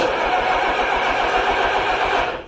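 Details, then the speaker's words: 1953 Allis Chalmers WD45 tractor, first start after a long rebuild, retimed, with a new radiator and hoses: it catches on the crank and roars briefly, then dies after about two seconds. Hard starting. "Start again. More throttle, I guess. Bad spot to pull the starter. I'll get it figured out one of these days."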